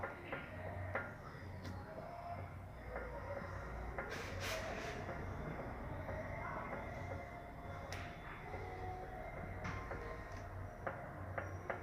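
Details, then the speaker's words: Kia Sorento raised, steering rocked: dull, dry low knocks from the inner tie rod (axial) joint where it connects to the steering rack; worn joint, to be disassembled. "Aí galera, vocês viram, né? Esse barulho tá vindo aqui da barra axial. O que acontece galera? Ó o barulho. Tá seco, galera, aqui, ó, bem aqui na conexão aqui da caixa, nesse bracinho axial."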